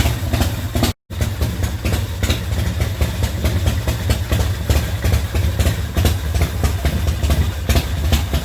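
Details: 2004 custom Harley-Davidson V-twin, bought as a non-runner, fired up after repairing a primary chain gear that broke loose from the BDL competition clutch housing; deep, steady rumble, idling cleanly and evenly.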